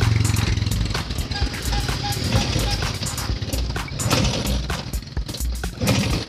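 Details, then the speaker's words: Vespa PX two-stroke scooter running, engine reportedly still performs normally: loose, clattery metallic rattle ("kemerasak") over the exhaust buzz, typical of a worn piston; to be disassembled. "Permasalahannya ini cukup simpel, yaitu di suara mesin, bunyinya mesin kemerasak. Terus larinya katanya masih normal."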